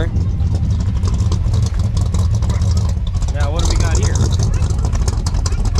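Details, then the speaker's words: 1989 Chevy Silverado C1500, 305 (5.0L) small block after head gasket rebuild and cylinder 2 ring replacement: heavy, uneven low idle that lumps, stumbles and shakes badly; exhaust moisture, no white smoke. "smells like water i think but look how bad she shakes man really really bad"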